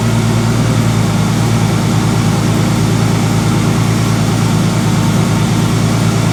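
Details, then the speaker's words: 246,000-mile Ford Explorer Sport Trac 4.0 V6 switched from 5W-30 to 10W-40 oil to silence timing chain rattle: even, deep idle with steady low drone, no ticking or chatter; no chain rattle at idle, not a true fix. "wow okay first impressions that is the quietest that thing is idle on the engine side since i got it"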